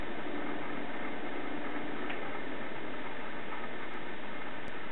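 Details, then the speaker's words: Thermaltake Level 10 GT case fans switched from low to high: the side fan kicks up into a steady airy whoosh with no rattle, ticking or grinding. Low is nearly silent; this is normal fan noise at high speed. "low seems to be the best it's pretty much silent but when you hit high you can hear that side fan kick up"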